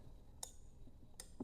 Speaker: So when an object pushes this actuator, the moment you hear the clicking sound, it means that the normally close has turned to open